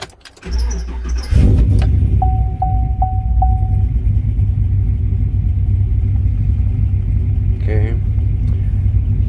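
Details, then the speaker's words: Probably 2015 5.3 LT six-speed truck, cammed, and badly tuned by another shop, before retuning: a brief crank, four chimes, then a lumpy idle that wavers; timing jumps everywhere and it would eventually die. "There She Goes Otto is all over the place timing is jumping everywhere and eventually it'll just have enough and it'll just completely die out"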